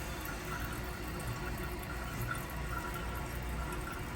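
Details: Toilet tank refilling after fill valve repair on a previously running toilet, with the valve ring raised one notch for more water volume: steady even rush without sputter or hammering; fill valve refilling normally.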